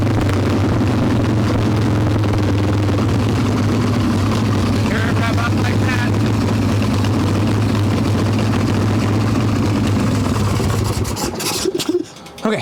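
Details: Harley-Davidson Evo Softail V-twin, warm, no choke, carb loose with choke plate off, mixture screw around one turn out: loud, lumpy, stumbling idle; intake air leak, later traced to loose intake bolts and cracked vacuum cap.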